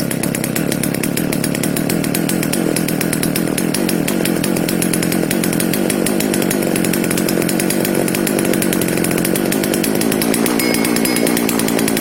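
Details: FK136 chainsaw, started on choke after diagnosis and repair of a no-start. The engine runs smooth and even at a steady high buzz with no misfires or surging; normal running.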